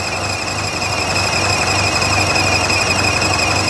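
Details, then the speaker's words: 2014 Buick Encore 1.4L turbo with over 200k, running poorly with a fuel trim code: a steady high-pitched squeal over an uneven idle. Excessive crankcase vacuum (5 in) is pulling air past the crank seals; fix is replacing the valve cover assembly with its gasket. "n the crank case that's air sucking past the rear seal or the front seal so we got to replace this valve cover gasket to fix this"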